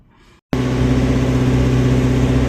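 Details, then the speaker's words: 1970 Dodge D100 V8 after a cam swap with DLC lifters and timing set, held near 2,000 rpm for cam break-in after long storage (smoked a little at first fire-up): a steady, even drone with no knocks or ticks; healthy high idle. "Well, I've got it uh pretty close to uh 2,000 RPM. I'm going to let it sit there. But, it's sounding good. Exhaust sounds good. Engine sounds good."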